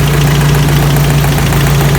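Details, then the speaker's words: 1985 Toyota Pickup, 22R 2.4 engine, after fuel filter change and road test, radiator leaking slightly; steady idle with a faint regular light tapping, owner suspects a slapped part or lifters and plans an oil additive. "I think that's slapped, so I'm not going to be able to do really much with that. But it could be a lifter stuff maybe, so I'll get some additive sometime and see if that will help."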